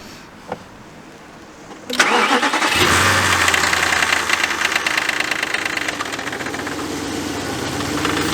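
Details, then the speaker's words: 2004 VW Touareg V8 with codes P0300/P0302, cylinder one reading faulty, test start after swapping ignition coils: quick crank, then a slightly uneven, lumpy idle; misfire blamed on a faulty ignition coil. "we believe we have the problem ignition coil it's most likely that is the problem because now cylinder one was faulty"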